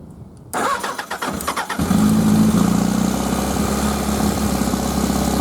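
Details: Suzuki 1100G with Mikuni carbs, fuel pump primed, cold start: a few starter chugs, then it catches and settles into a steady, even idle that smells a bit rich; normal cold start, though the bike won't take throttle above idle.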